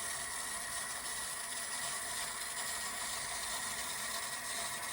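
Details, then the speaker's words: Fleck 2510 water softener on a manual cycle after replacing the leaking piston, spacers and seals: a steady hiss of water through the valve with faint ticking, nothing binding or grinding, and no leaks. "The water's on. It's running. You can hear it running. And there's no leaks coming out. No water's coming out."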